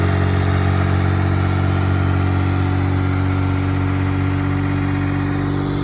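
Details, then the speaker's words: Perodua Kancil fitted with MaxxECU standalone ECU, started after install: engine fires and settles to a steady, even smooth low idle drone with no knocks, misses or surging; running healthy. "Pipang bunyi. Ready lah. Kita dah hidup."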